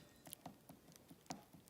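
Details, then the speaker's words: Axial SCX10 II transmission case, before paper-towel shimming: light irregular clicks as the shaft is rocked by hand, excessive spur gear and output shaft slop from bearings sitting loosely in the housing. "that movement there is due to the fitment of the bearing in the housing that's all bearing slav you can hear it"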